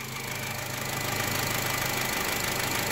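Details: 2011 Honda City petrol engine with sludge, after an engine flush, lightly revved and warming up: steady knock of about three a second; the oil filter was badly clogged with something loose inside, risking the oil pump.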